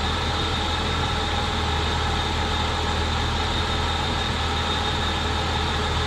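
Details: 2004 BMW 325xi replacement engine warming up after sitting a couple years; exhaust smoking, likely rodent nest burning off: smooth even idle drone, no ticks or stumbles; cooling system not over-pressurising, reaching temperature normally.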